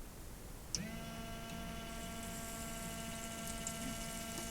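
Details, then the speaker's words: Citroen C15 Romahome habitation water pump switched on by tap microswitch: click, then steady even electric buzz as water flows, running harder as tap opens further; pump healthy. "There's the pump running, that's water flowing. Turn the tap on more, the pump runs harder."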